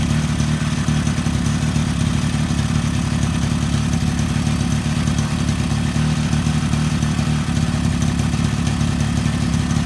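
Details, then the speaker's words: 2002 Suzuki LT-A50 50cc two-stroke quad after a top-end rebuild, started on the first pull: a fast, even burble with a steady crackle, holding a stable idle. Normal, healthy idle. "guys check it out this thing started right up that's amazing we're fighting this thing just because of that seal this is amazing look at that they started on first pull I'm so excited and it just sounds so healthy"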